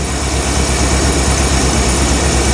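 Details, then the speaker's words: 1975 Bricklin SV-1 V8, still dead cold, idling around 800 rpm with good oil pressure: loud, lumpy idle as one cylinder drops out. It ran better after adjustment but still misses; dirty carburetor or no spark on a plug suspected, cause undetermined. "still dead cold yeah so we just got a Miss we got to kind of diagnose and see if it's maybe uh got no spark par or what well let's play with it runs better but does still have a bit of a Miss"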